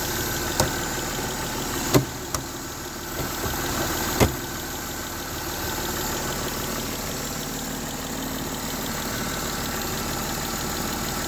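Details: M272 engine at idle: a steady idle with a light, quick, unchanging tick riding on top; a top-end ticking noise at idle whose cause is not pinned down.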